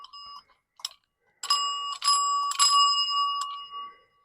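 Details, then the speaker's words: Old telephone ringer bell, stranded bare wires, connection possibly poor, being cranked: rings only in short, uneven bursts with gaps, never a full steady chime; weak, sluggish ringing of an old, tired bell. "let's see once again I can hear that things are trying to happen but they're not moving that well see this should be like just chiming gloriously now"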